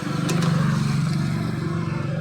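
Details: Honda Click v1 scooter running lumpy with an uneven, stumbling exhaust beat; misfire with weak fuel spray, no fuel coming out, fuel pump motor not whirring; wiring and ground trigger to be checked before replacing fuel filter; cause unconfirmed.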